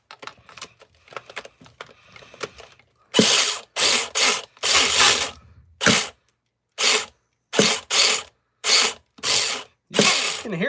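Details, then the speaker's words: Nitro RC car engine being pull-started: repeated high, raspy ratcheting whirs without catching, and fuel comes out of the exhaust. Owner suspects the slipping one-way starter bearing gives too few rotations and plans to preheat the engine. "Yeah, I think it'll run. I just don't think I'm getting enough rotations out because that oneway bearing spinning so damn bad."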